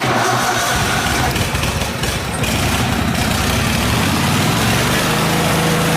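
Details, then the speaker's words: Miller Trailblazer welder engine restarted after replacing the vacuum-operated fuel pump with a 12 V electric pump: catches and settles into a steady, even run with no stumbling, misses or surging. Normal running after repair. "s the issue because it runs fine now and you can see I turned that mixture screw in and out on higher idle in low idle and it didn't do anything at all"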